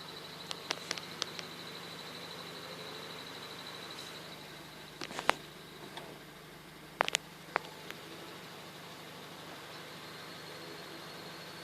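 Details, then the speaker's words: 2006 Honda Civic EX idling: thin high chirp over steady idle with scattered clicks, varying loud to quiet; earlier chirp stopped with clutch pressed, persists after new clutch; owner thinks not serpentine belt, cause unknown. "see sometimes it will be really loud and sometimes it'll be really quiet so I'm just wondering if you had any ideas like I'm pretty sure it's not my serpentine belt"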